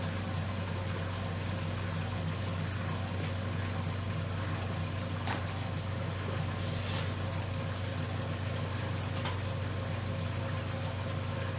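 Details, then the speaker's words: Restored 1956 Whirlpool Imperial belt-drive washer going into final spin after the rinse and neutral drain. A low, even motor hum with faint regular ticking and no knocks or shudder as it smoothly winds up; normal spin-up. "one thing that I always liked about a whirlpools built machine is they come up to spin so smoothly"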